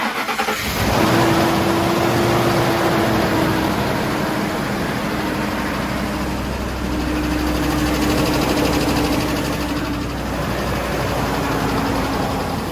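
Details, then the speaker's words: Ford F-150 5.4L 3V Triton V8 with recently rebuilt internals, cold start: cranks into rough idle with loud constant top-end tapping on passenger side under loud fan; suspected failed or unreplaced roller followers, not confirmed. "It sounds like it is from the valve tray on top. Once it calms down, take a listen. The loud tapping noise on startup, and it's constantly there afterwards."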